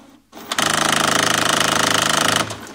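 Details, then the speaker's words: HP Photosmart 5520: loud rapid rattling grind for about two seconds as the carriage jams at the rear. Gear teeth are slipping on the service station's sheared drive teeth, which also causes carriage jam errors. "you can see it's jamming to the rear and it's grinding when it reaches the rear"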